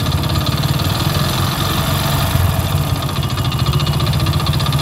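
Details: Hero HF Deluxe single-cylinder motorcycle, about 80,000 km (meter reads 43,000), at idle before an engine rebuild; light, rapid knock under the exhaust beat each turn; crank bearing knock.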